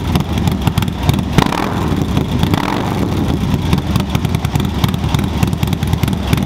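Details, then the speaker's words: 2024 Harley-Davidson Low Rider ST, Stage 2 with 483 Cyclerama cam and SP Concepts 2-into-1 exhaust, first startup before tuning: uneven, loping idle gallop with deep, irregular exhaust pulses; a normal, healthy lumpy-cam idle. "it sounds absolutely amazing guys I mean you got to hear in person on video it's going to sound good but it sounds me a better person um nice Gallop to it nice lobe deep lobe at that"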